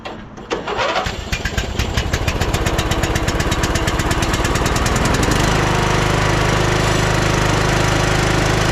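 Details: 2010 Craftsman LT2000 riding mower, first start after un-seizing the engine, battery jump-started: starter cranks steadily about four seconds, then the engine catches cleanly and settles into a smooth, even idle.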